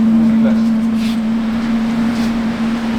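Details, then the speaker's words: VW T5 Transporter Webasto diesel parking heater started manually after the remote had failed: a steady low hum as the combustion fan spins up and revs, "like a jet taking off". The heater has lit and is running normally. "Kuulete, reaktiivlennuk läheb õhku. Ta võtab pöördeid ülesse. Ta on tööle hakanud."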